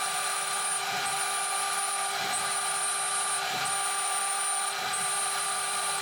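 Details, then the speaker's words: DMC2 Mini mill during a light cut, part of tests in 6061 aluminum and cold rolled steel: steady high motor whine and even fan hum louder than a faint cutting hiss repeating about once a second; spindle barely loaded. "the spindle is hardly under any load at all. In fact, the sound of the motor's fan is louder than the cutting itself."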